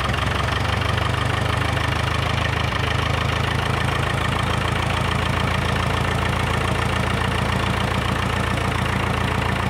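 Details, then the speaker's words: 1942 International TD6 crawler diesel idling on gasoline start mode (carburetor and magneto), warming up for a couple of minutes before switching to diesel; a steady low rumble with an even chug, no knocks or misses. "I'll let it run for a couple of minutes get some heat in the engine and then switch it over to diesel"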